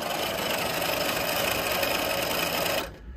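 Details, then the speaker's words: Taco 007 circulator feeding an indirect water heater from a gas-fired steam boiler, piped into the boiler bottom; loud gritty grinding and rasping. Suspected air-bound, sludge-clogged, failed circulator or cracked impeller. "she's making a ton of noise so either something is it's either it's air bound it's maybe clogged up with just sludge uh or the circulator is bad or the impeller is cracked something like that"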